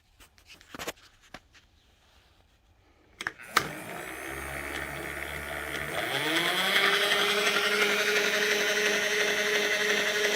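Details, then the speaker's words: 1989 Bridgeport mill, Servo 150 table power feed run out along a worn, sloppy lead screw: motor spins up over a couple of seconds, then holds a steady, even whine without knocks or grinding, loading slightly along the screw; normal running. "servo 150 it sounds pretty good"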